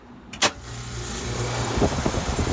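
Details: 10 HP outdoor condensing unit starting after a blown fuse was replaced: sharp contactor click, then steady low compressor hum as the outdoor fan whooshes up to speed; normal start-up.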